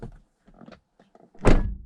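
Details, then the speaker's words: BMW E60 M5 after oiling the sunroof wind deflector hinges to cure a knocking: a few handling taps then a solid door-close thud that dies cleanly with no knock from the roof; quiet sunroof on door close. "okay so now that i've oiled the hinges on the wind deflector i found that it's not making a clogging noise when i close the door try again"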